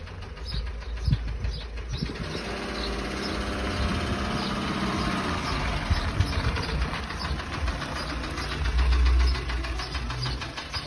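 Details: Renault D4F 1.2 petrol engine runs with a loose, repetitive knock, about three to four a second; oil was found below minimum, noise persisted after topping up, and oil warning light flickers above 2,000 rpm; cause unknown.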